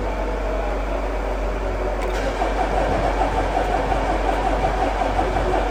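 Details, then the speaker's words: 2009 Mercedes Sprinter 313 CDI with a long-standing hard-starting fault, battery reconnected after sensor and alternator work: sluggish, uneven cranking that keeps turning without catching; owner unsure if battery is dead, suspects the battery. "I'm not sure whether the battery's completely gone or not, so we're going to keep trying."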